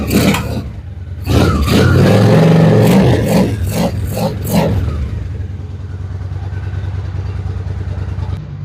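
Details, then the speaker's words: Honda Shadow Spirit VT750 on new Chinese carburetors, restarted after adding a fuel hose clamp, shirt microphone: several sharp throttle blips that climb and drop cleanly, then settle to a smooth even idle; sounds healthy. "Well, guys, I would say it sounds pretty fantastic."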